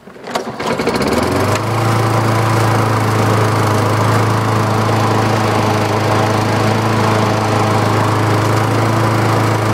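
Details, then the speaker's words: Homemade propane-tank air compressor engine after running completely out of oil and jamming; freed by hand, refilled with clean oil. It starts and runs a fast, steady beat with a rough knock underneath, likely oil-starvation damage. "it loosened up the Rings or whatever it was and I can hear some knocking when it runs but it definitely runs runs really good"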